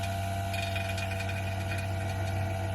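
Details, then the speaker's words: Vacuum pump evacuating a DIY-installed split heat pump through a manifold with the valve open, before refrigerant is charged: steady, even low drone and smooth hum with no knocking; normal running. "This pump is sucking. It goes to here, and this must be open."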